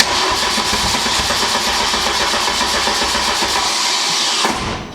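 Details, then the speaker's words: MK2 Golf GTI with 1.8 turbo conversion and new wiring loom, first start attempt on jump pack with dead battery (about two volts); engine turns over roughly with fast uneven chatter, fires but won't catch; owner suspects needs new starter motor. "Let's turn this key and see what happens. Oh, primed. Oh, that didn't sound too healthy."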